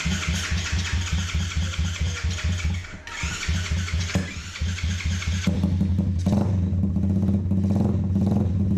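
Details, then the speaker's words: Custom drift trike with a 125 single-cylinder engine and a newly finished exhaust and muffler; even, deep exhaust thump at idle pulling smoothly as revs rise near the end, nothing like a 125, running clean and healthy. "and it sounds nothing like a 125."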